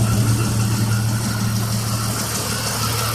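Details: Jeep XJ 4.0 inline-six at warm idle: light, fast ticking over the engine hum, heard after warm-up; owner suspects valves, cause not confirmed.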